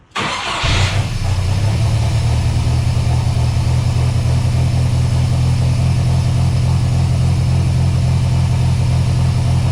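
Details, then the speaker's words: Mercruiser 140 boat engine swapped into an S10 truck, running a 1987 computer with wideband: engine catches, settles, then revs up by itself and hangs high without throttle, idle air opening up as if from a large vacuum leak; idle surge, cause not found. "We're having this really weird issue now where the truck is just starting to kind of rev up by itself, almost like there's a huge vacuum leak."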